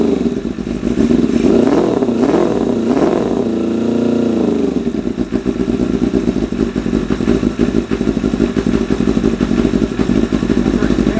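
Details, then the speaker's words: 1988 Kawasaki ZXR250 four-cylinder first run; revs up, falls back, then lumps along with uneven popping at idle, shooting flames; running ridiculously rich, owner suspects idle mixture screws set 3.5 turns out from bottom are too rich. "It is running ridiculously rich. Like, ridiculously rich. So, we're going to have to address that."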